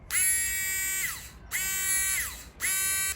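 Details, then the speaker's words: New windscreen washer pump (part NWP501) for a 2007 Ford Falcon BF XR6, bench-tested on direct positive and negative wires before installation. Three short bursts of high, even electric buzz winding down cleanly; normal washer pump running. "Looks like this is a working pump."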